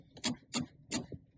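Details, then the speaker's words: Car handbrake lever pulled up without pressing the button: three crisp, evenly spaced ratchet clicks; the normal sound of the handbrake engaging. "now when we apply to Hanbury there are two ways it can be done we can do it without the button so you'll hear some clicking"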